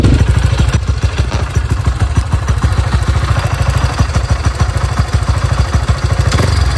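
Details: Bored-up Honda CRF, freshly washed, camera placed low: steady even single-cylinder idle thump, no droning hum on top; sounds safe and normal.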